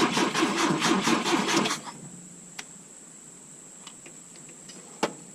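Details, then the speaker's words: 1972 Volvo 145 on rigged fuel with vacuum ports plugged: starter turns the engine over steadily for a couple of seconds with no firing, then quits; hard start from disconnected plug wires leaving some cylinders without spark. "That ran like trash, though. That would be why. No wonder it was so goddamn hard to start."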